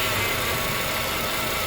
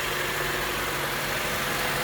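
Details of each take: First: Acura TSX power steering pump at cold start: steady hissing, sucking whoosh at idle as the pump draws in air; owner told the O-rings on the pump were the cause and advised to change the clamps. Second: Acura TSX after replacing power steering o-rings and clamps to cure a cold-start sucking noise from air: engine idles evenly with soft hiss, no pump whine or groan while steering.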